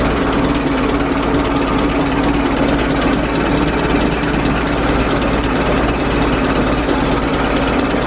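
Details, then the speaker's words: 1920s Dodge tourer after fitting a replacement engine fan and adjusting the belt: engine ticks over at an even slow beat with no scraping or slapping; fan clears radiator and belt, running normally. "well that all appears to be working so the fan's not hitting the radiator it's not hitting the uh the fan belt"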